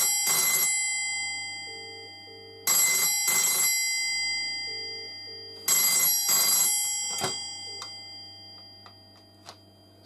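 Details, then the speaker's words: 1985 BT Special Range push-button Mickey Mouse telephone ringer demonstration: loud double bursts of bright bell ringing about every three seconds, slightly clunky; ringer working normally. "there we go and as you can hear it's a little bit clunky but it's definitely about"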